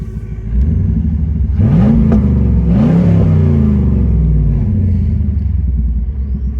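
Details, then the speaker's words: 1999 4th-generation Chevrolet Camaro Z28 V8, no soft rev limiter; deep, lumpy V8 rumble rising and falling smoothly with throttle blips, clean and even. Normal, healthy V8 revving. "nice sort of V8 rumble."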